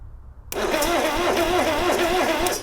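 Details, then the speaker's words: Subaru Sambar kei van engine, sitting in a field 25+ years, cranked on jumper leads with starter fluid and possibly in gear: the starter whirs with a sluggish, wavering pulse, roughly three turns a second, turning far too slowly to start. "Oh, well, that's a start. It's uh it's turning over very slowly, though."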